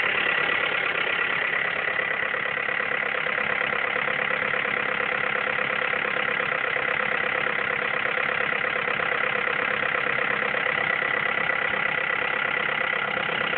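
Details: Mazda 3 2.3 petrol engine idling after an engine rebuild with a new head: busy, uneven ticking chatter over the steady hum; the owner cannot identify the cause.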